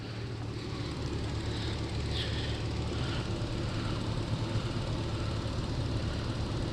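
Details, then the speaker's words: Toyota Soarer SC300 (1JZ) drift project at idle while bleeding the cooling system after a clutch fan rebuild: smooth idle under a strong, steady rush of fan air, no flutter or scraping; fan clutch engaging properly, unlike before when it barely moved. "it's just an idol but jesus that fan it's like it's brand new"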